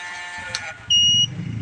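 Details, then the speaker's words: Bewon inverter on the bench, 240 V output from a 12.5 V input: a thin, steady high-pitched whine over a faint hum under power. "มีเสียงร้องออกแอ้ๆมันมาจากพัดลมึเปล่าเดี๋ยวอาจจะต้องดึงสายพัดลมออกก่อนนะครับ"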